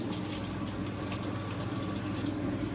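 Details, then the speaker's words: Maytag washer, model believed to be MVWB765FW1, in diagnostic mode with the cold valve test selected: a steady, even rush of water into the tub with no chatter or buzzing; the cold inlet valve fills normally. "so then we hit soil level to one get the cold valve we got a little pee"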